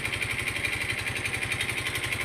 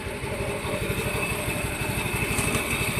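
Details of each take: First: Yamaha Mio i 125 scooter run dry of oil from skipped oil changes, engine lacking power: rapid even knocking about twelve per second over a buzzy idle; oil-starvation engine knock before repair. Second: A Yamaha Mio i 125 scooter, after repair of a knock from running dry of oil, is started with the pulley fitted and holds a quick, even idle putter with no knock. It runs clean, though a slightly bent clutch housing drags the wheel.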